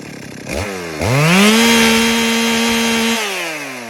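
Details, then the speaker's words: Stihl MS 382 chainsaw: snaps from idle to a high steady scream that wavers slightly at the top, then falls back; apparently normal running, the high-rev fluctuation is the RPM limiter. "MS 382 da Steel, vocês escutaram o funcionamento aparentemente normal, e essa flutuação que dá em alta quando ele chega no alto giro, que fica nada mais é que o limitador de RPMs."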